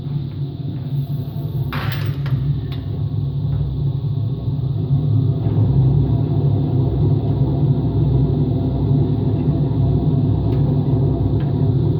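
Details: Empty washing machine on rinse and spin with no clothes, a deep gravelly rumble swelling as the drum spins up; owner suspects both the motor bearing and the drum bearing are worn, and no leak is seen.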